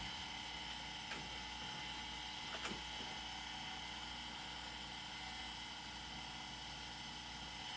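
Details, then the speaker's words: Old IDE hard drive powered up after jumper change: faint steady high whine with a couple of soft clicks, platters spinning with no grinding; normal spin-up. "That is definitely a new spinny sound so that one"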